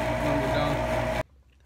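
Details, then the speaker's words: Lennox Elite G51MP furnace, about 8 years old, combustion draft inducer motor before replacement, the quieter of two units, noisy since purchase and worsening: steady hum with thin constant whine, then cuts off. "this is what the motor sounded like this is the quieter of the two this is what the motor sounds like before the repair listen for the difference"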